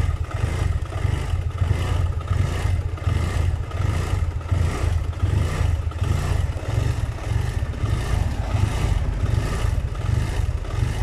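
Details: BMW F700GS motorcycle idling with the clutch pulled, worst when the engine is hot. The idle pulses unevenly, stalls, then restarts a few seconds later, while it runs flawlessly at revs. Caused by a faulty throttle position sensor; replacing it fixed it.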